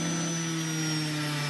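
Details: Salvaged universal washing-machine motor with speed regulator, mounted for a drum sander: smooth even hum, steady pitch, faint high whine, no vibration or speed variation; running healthy.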